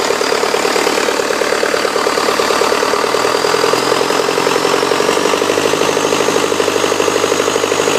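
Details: 2006 Cummins 4.5B diesel just after rebuild: steady, even idle clatter with regular firing pulses and no misses or knocks; normal healthy idle.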